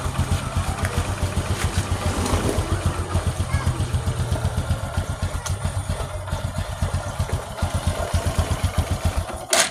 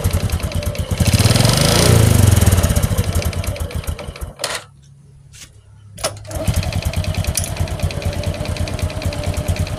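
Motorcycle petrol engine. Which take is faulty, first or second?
second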